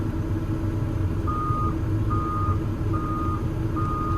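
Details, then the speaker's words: Develon DX160-7 high-track excavator that had stopped slewing with a bang, swinging away gently without revving: a steady diesel under a roughly once-a-second swing alarm beep, no bangs or grinding; slew sounds healthy. "Gently now. Gently. We don't need to rev it up. Hey. Right. We're going to swing away from the van."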